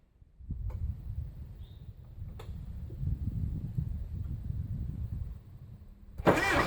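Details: 1975 Case 680CK diesel backhoe, back running after a long lay-up; an earlier stumble was traced to the backhoe throttle having been bumped back. A low, steady diesel rumble at an even idle with no misses or knocks. Normal idle.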